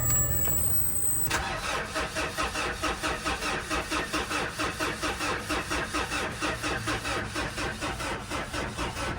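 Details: Mitsubishi Montero diesel with check engine light on that won't start: the starter cranks steadily at about two turns a second but it never catches. The primer pump felt soft; flood or rodent damage is suspected.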